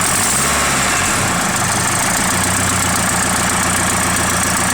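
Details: Nissan SR20DET at idle: fast, faint puffing tick under a steady hum; owner suspects an exhaust leak, source not confirmed.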